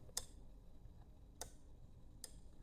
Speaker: It is going to push it something like this. You could hear the clicking sound.